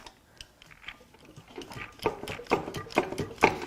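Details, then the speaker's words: 2017 Infiniti Q50 Hybrid VQ35HR V6, rained-on engine on the stand with a hole in the oil pan, crank turned by hand at the loose crank bolt: rough uneven crunching and scraping about twice a second. "Uh-oh. Where's my prize? I heard it. Okay, so it's not good. Maybe we just need to go backwards. That sounds bad."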